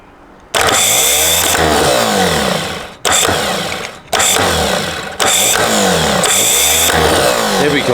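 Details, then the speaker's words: Starter motor from a rebuilt BMW D190 marine diesel, bench-tested with a brand new solenoid: spins up in several strong bursts with a clean whir and no grinding or dragging; the motor works and its bearings are fine. "That seems to work. Bearers are fine."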